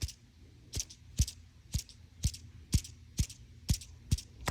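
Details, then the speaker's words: New Dura-Lift Titan garage door roller, 4-inch shaft, spun by hand: dry ticking about twice a second that sounded like bad bearings, but it is the dust cap rubbing on the roller shaft; bearings fine. "there was three in this this box of the Titans that made a dragging noise sounded like the bearings were bad"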